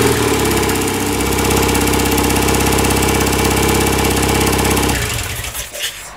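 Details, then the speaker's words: 1967 BSA Spitfire twin after ignition timing was reset with timing tool, both carburetors tickled, a bit of throttle: crisp even firing about 220 beats a minute for five seconds; normal running, starting problem traced to ignition timing. "So after all that, it was the ignition timing that seems to be at fault. It's not the easiest bike to start."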